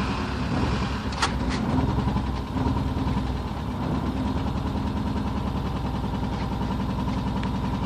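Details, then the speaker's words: Porsche 944 just started after over ten years sitting, exhaust valves bent from a fallen timing belt tensioner pulley, smoking badly: steady but ragged low running with uneven coughs, never settling; rough running after long storage. "Doesn't sound happy. Smoking pretty bad."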